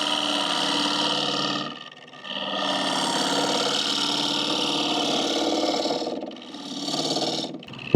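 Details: Lathe turning a green hickory bowl interior with a small 3/8 gouge on finishing cuts, overhung past the tool rest; ringing buzzy squeal in steady stretches, dropping out between cuts; vibration and chatter from gouge overhang.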